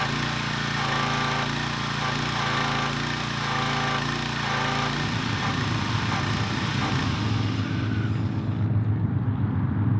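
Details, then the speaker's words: Pressure washer after replacing pump check valves to cure no-pressure fault, water connected: small engine runs steady, note deepening and roughening as pump takes load; pressure restored, normal running after repair. "right away we have pressure I would call that a success"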